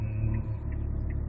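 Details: 2008 Hyundai Veracruz idling in drive with the brake held after a fuel-saving product was installed: low, steady rumble with an even pulse, no knocks or misses, vibration and noise reduced from before; normal idle.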